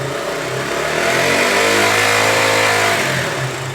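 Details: KTM Duke single during a charging coil stator plate replacement over a Low Battery fault, revved to about 5,000 rpm during stator voltage tests: climbs smoothly from idle, holds clean and even, drops back; healthy, no knocks.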